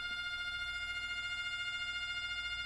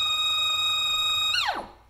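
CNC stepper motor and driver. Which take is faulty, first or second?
second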